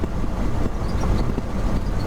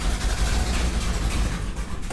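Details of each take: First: 1969 Ford F-350 with swapped 352 FE V8, pulling in third gear on the road: deep even rumble under load, no knocks or misses; plenty of power, normal engine under load. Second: 1969 Ford F-350 original FE 360 V8 at idle: uneven loping idle stumbling every few beats; cylinder 1 zero compression, 100 with oil, owner guesses worn rings or cylinder walls; dead-cylinder misfire.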